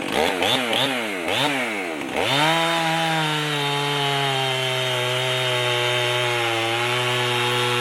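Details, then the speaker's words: Rebuilt Stihl MS311 chainsaw with new piston and rings, mild porting, muffler mod, homemade carb gasket, cutting wood: blips cleanly, then holds a strong steady high scream through the cut without bogging; healthy. "let's go uh put it in the wood and uh give it a couple of cuts and see if I need to make some final adjustments on it"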